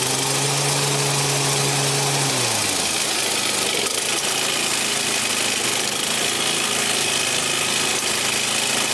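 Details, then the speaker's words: Toro Turfmaster 30-inch commercial mower, Kawasaki FJ180V single-cylinder engine, cold start on choke before oil and filter change: runs fast, then settles to a lower steady speed as it warms, firing even with no knocks; engine warming up. "all right let's start it up we'll let it warm up do a quick test"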